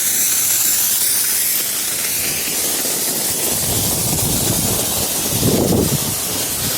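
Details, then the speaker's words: In-ground sprinkler blowout with a 22-gallon air compressor, zone 4 first blast, head by the fence still full of water: loud hiss with uneven spitting surges as it clears water and starts passing air and mist. "Still water out of this one, just getting a little air now. You see all this mist."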